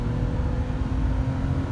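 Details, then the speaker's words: 2002 Nissan Maxima after accelerator pedal assembly replacement for P0221 code: steady deep drone pulling uphill under load to 6,000 rpm, smooth with no hesitation, no check engine codes; fixed. "yeah pulls right up six grand no problem it's running good all right I think we're fixed cool"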